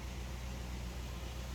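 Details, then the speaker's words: Suzuki Grand Vitara (fuel-injected) converted to run on LPG from a 3 kg cylinder through a high-pressure regulator, idling on gas at a normal 900 rpm: low, steady, even hum with no misses or knocks. "kondisi RPM ini normal ya di 900 ya."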